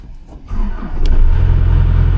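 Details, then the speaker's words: Farm machine start after fan belt adjustment, belt had been slipping and squawking on start-up about six months after replacement: engine cranks and catches within half a second, settles into a steady low diesel idle, squawk gone. "squawk's gone."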